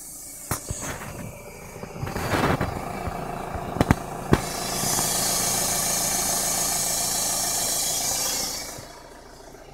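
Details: Renault Megane CC coupe-cabriolet 1.9 dCi diesel ('56 plate) at idle: a loud, even hiss rises for a few seconds then fades, coming from behind the near-side wheel arch under the battery; most noticeable when cold.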